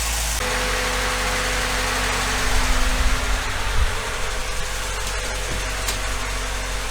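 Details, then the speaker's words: Ford Fiesta Mk3 after a thermostat and coolant change, idling while warming up to bleed air: a steady, even idle with a smooth low hum and no knocks or misses, as the radiator fan comes on. Normal idle. "The fan's now just come on. I'll idle it lower."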